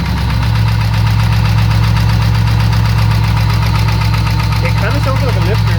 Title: LS1 Camaro engine knocking sound